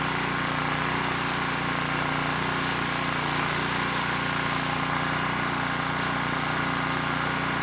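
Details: ETQ 2700 W brushless-powerhead generator after governor calibration: steady even drone at constant speed, no hunting or surging; started slow, governor spring screw driven halfway in to reach 62 Hz, governor holding normally.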